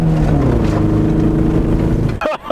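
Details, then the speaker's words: 1992 Honda Civic base DX, manual transmission, while racing: uneven, lumpy engine note with a stumbling beat under load instead of a smooth four-cylinder hum; driver feels it missing a cylinder. "The car is not running well anymore. It's not running right. I feel like it's missing a cylinder."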